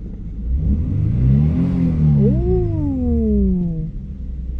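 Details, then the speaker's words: 1992 Nissan 300ZX twin turbo, first start in 16 years after fitting new injectors: engine revs up toward redline and settles cleanly, pitch rising and falling smoothly, no misses or knocks; sounds healthy. "sounds pretty damn good"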